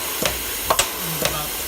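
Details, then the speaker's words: Old double-ended Haskel gas booster after its shuttle valve was cleaned and rebuilt: crisp exhaust pulses about twice a second in an even alternating rhythm, no stalling, cycling smoothly. "Well, that's nice. Listen to that baby purr."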